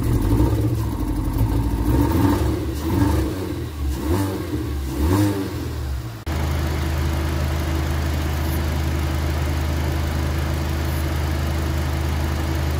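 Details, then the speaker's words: Vauxhall Insignia during a block test whose blue fluid turned green, indicating a blown head gasket: laboured, struggling crank with no real compression, then it catches and settles into a low, uneven idle. "the reason it wouldn't start as well as custard there's no compression really to actually kick it in so that's why it was struggling and struggling struggling and then eventually it kicked in"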